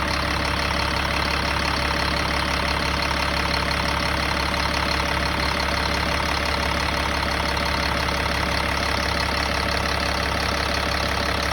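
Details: 2005 Freightliner Business Class M2, Cat C7 Acert diesel: steady idle with regular tapping about two and a half per second over the drone; source unclear.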